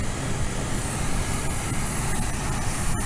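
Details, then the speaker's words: 2002 Ford F-150 petrol V8 at idle: lumpy, stumbling rumble that revs up and down like a misfire, with a faint hiss; no scanner codes; rough idle caused by a couple of vacuum leaks at hoses, located with brake cleaner. "i have this 2002 ford f-150 you can see how bad it's idling you can hear it actually there's a couple vacuum leaks this thing has and that's why it's acting like this"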